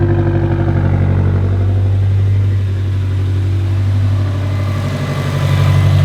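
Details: 2017 Subaru STI (VA, 400whp build), just repaired, restarted after an oil change and warming up: catches and settles into a steady, even low burble with no knocking, ticking or misfire; healthy idle.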